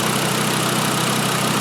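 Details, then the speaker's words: 2012 Volkswagen Jetta 2.5 L five-cylinder, after replacing all five worn, wide-gapped spark plugs: steady, even idle with a smooth low hum and no skips. The constant misfire is cured. "Oh, there we go, much better. Much better. So that was it."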